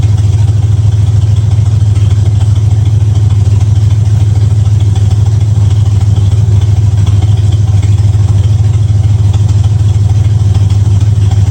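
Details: 1965 Ford Mustang V8 idling with a deep, even, unbroken beat and no misses or knocks, after new headers, timing set to 12 degrees before and idle screw turned three quarters; sounds real good, normal idle.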